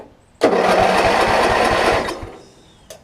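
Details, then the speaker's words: Craftsman riding mower after replacing the starter solenoid (previously only one click, even with new battery): steady rapid chugging churn about two beats a second, then stops; normal starter cranking, though mower doesn't run yet. "it's cranking and obviously if your riding mower is in good order it's gonna run this one is currently not"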